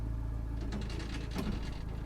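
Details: 1984 Bedford CF van idling low and steady, then sharp crunching bangs as reverse is tried and won't engage; the gearbox lacks a working reverse, and a replacement gearbox is planned.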